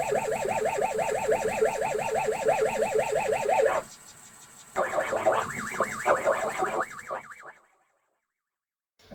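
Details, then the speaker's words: ZX Spectrum 128 +2 built-in cassette drive failing to load games: loading tones wobble up and down about three times a second and drop out in gaps instead of holding steady; abnormal tape loading sound. "it's unfortunate everything else appears to be okay but you can hear when the tape is playing it doesn't sound like a normal cassette tape loading one of these old 8-bit machines"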